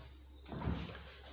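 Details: Hisense RS694N4TCF American-style fridge freezer, the good door, in contrast to the other door that scrubs: a single soft thud as it swings shut and seals, with no rattle or bounce; normal door closing.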